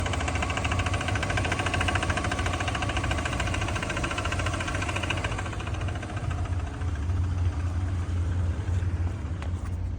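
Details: 2005 BMW 330Ci petrol engine idling with a light, quick tick and faint squeal over the hum; abnormal noise, cause not pinned down.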